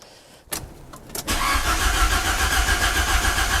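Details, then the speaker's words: Fiat Panda 100hp with swapped Abarth 595 Competizione 1.4 T-Jet turbo engine, first turn-over on a battery charged for weeks, oil in; a couple of clicks then steady even cranking about 3.5 beats a second, spinning freely without firing: normal cranking. "but we're going to turn it over first and see what happens. So let's have a crack."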